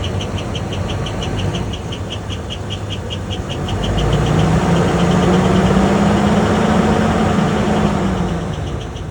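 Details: 2004 Holiday Rambler RV, GM 8.1 L 8100 Vortec V8, 60,000 miles: sharp regular chirp about four a second, persisting through a brief rev, appears after about 5 minutes warm-up, slightly quieter at higher rpm; no visible exhaust leaks.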